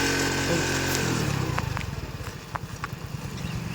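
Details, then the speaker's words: XL100 moped after a repair for petrol overflow, caused by dust fouling the carburettor float needle. The carburettor was dismantled and the air filter changed, and the fault is now cured: after a brief rev it settles into a steady popping idle about three beats a second, running normally. "வந்து நம்ம எல்லாம் கம்ப்ளீட்டாக மாட்டிட்டு பார்த்தீங்கன்னா அந்த complaint arrest ஆகிடுச்சு."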